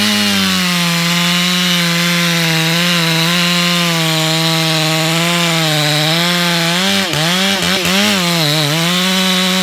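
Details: Stihl MS461 chainsaw, stock with aftermarket ported muffler and over a year of wear, cutting a big northeastern red oak with a week-old hand-filed round chain: strong, steady two-stroke howl holding revs through the cut, no chatter or bogging.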